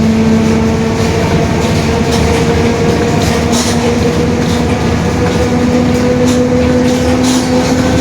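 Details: 2021 Marcopolo Torino S urban bus on Mercedes-Benz OF-1721 BlueTec 5 diesel chassis, extended length, recorded while cruising: steady low growling drone with two constant tones over road and engine noise, suspected worn rear differential, not confirmed.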